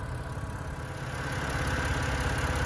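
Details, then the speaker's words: 2011 BMW 328i xDrive with a replacement N51 engine from a 2013 328i, after reconnecting a loose cam sensor plug: smooth, even idle with steady low hum, no misses, knocks or ticks; running healthy after the engine swap. "so now it's purring away beautifully let me uh show you how it's doing"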